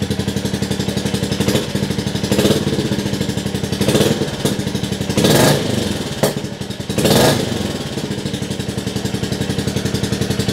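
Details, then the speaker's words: Rebuilt 2022 Royal Enfield Classic 350 at its first start indoors: even single-cylinder idle with a few quick throttle blips returning cleanly to a steady beat; loud indoors but the engine is nice and smooth. "the Y that's quite loud actually engine's nice and smooth though"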